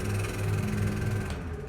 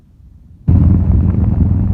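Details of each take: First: Pedestal high-speed fan (Farrata) running on 220 V makes a loud, deep, uneven knocking rumble from a dry bearing; it still runs and blows air fine, but the coil may fail if left unrepaired. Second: Pedestal high-speed (Farrata) fan after repair of bearing noise; it had run dry. Steady low rush of moving air with no hub clatter or rattle; the earlier noise is gone and it runs smooth and quiet.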